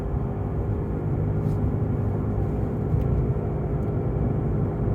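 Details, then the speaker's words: Tesla Model 3 on Hakkapeliitta R3 winter tires, in-cabin at cruise: loud steady grinding growl with faint hum over tire roar, loud straight or steering right, easing slightly turning left; worn front wheel bearing. "So quite a loud noise. If I to turn a bit to the left, goes away, and then back, grinding, turn to the left, turn to the left,"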